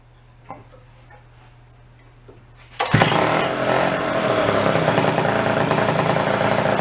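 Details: 1961 Centaur 49cc folding suitcase scooter two-stroke, stored 40–50 years: quiet handling noises, catches at about three seconds and settles into even, buzzy run with choke off. Normal running.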